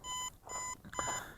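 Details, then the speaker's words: Aosenma CG028 GPS brushless drone (1406 motors, 3S 11.1V 1500mAh battery) on low battery; rapid short bright beeps about half a second apart as it automatically returns home and lands at its takeoff point. "Okay, hear that rapid beeping? That's return to home and landing."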